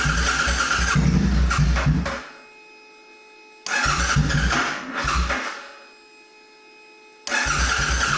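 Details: C50 during a rebuild, first test start after tank rust cleaning and a new fuel pump, old black oil, in the garage: two bursts of rough cranking with brief catches, each dying out; cranks but will not start.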